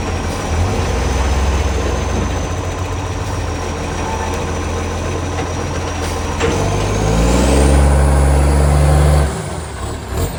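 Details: Canada Bay garbage truck SL780, a Euro 3-style Euro 5 facelift diesel, revving: a deep rumble swells harsh and overly loud as revs climb, then drops off, from an exhaust pipe leak that was later fixed.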